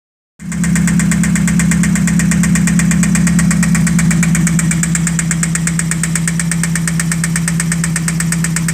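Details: 1991 spec Mazda Miata at idle: sharp regular tick-knock about three per second over steady idle; oil pressure still good, cause not yet identified.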